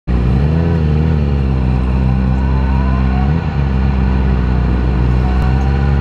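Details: 2010 Yamaha R6 inline-four idling rough and lumpy with a deep, uneven beat, running on only three cylinders; misfire caused by bent valves in cylinder 4.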